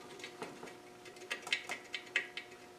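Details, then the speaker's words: Land Rover R380 gearbox (suffix J), cover on, shaft turned by hand: light irregular metallic clicks as the small layshaft bearing chatters loose in its housing before a sleeve is added to hold it. "you can hear that bearing chattering around. it. So, if we made a little sleeve, that's going to be sort of more holding that bearing in place, you know, like at the back."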